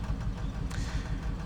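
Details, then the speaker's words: 2007 Scion tC at low idle with check engine light on, car shaking badly as if about to stall: uneven, lumpy thump with beats dropping out irregularly; misfire blamed on a failed ignition coil. "ahí vemos que han prendido el la luz del motor pero el carro también tiembla aparte eso está temblando tiembla mucho algo así como si se fuera a pagar"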